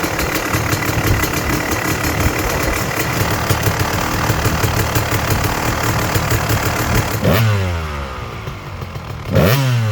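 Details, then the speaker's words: Freshly restored Kawasaki KX250 two-stroke with sleeved cylinder, first run after start-up, kill switch tested: crisp steady run, revs drop and snap back up cleanly with no misfire or rattle; sounds vile, snappy, healthy; normal idle and revving. ">> Guys, this thing sounds vile. >> [laughter] >> I don't think I'm qualified to ride this thing. It really sounds awesome. Man, it sounds like it's really snappy, too."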